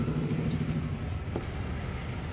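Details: Yamaha R1 motorcycle engine running: heavy low rumble with a dull knock from a damaged crankshaft.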